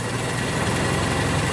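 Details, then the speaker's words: 1925 Ford Model T at full idle after advancing the spark lever from retarded; steady, even low rumble, no misses, much smoother than before — normal idle. "and you can hear the engine running much smoother and it should be quite happy with the engine completely idled like so"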